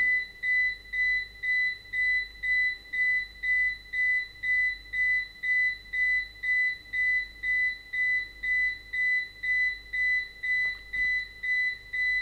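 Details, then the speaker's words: APC Back-UPS BX750MI on battery during a runtime test, about 26 minutes in: loud, fast high beeps about twice a second with the LED flashing faster, warning of low battery before power loss. "aha jetzt scheint er den restlichbenszustand erreicht zu haben macht sich bemerkbar durch lautes schnelles Piepen man sieht's und man hört's auch ne also die LED blinkt jetzt schneller man hört das Piepen"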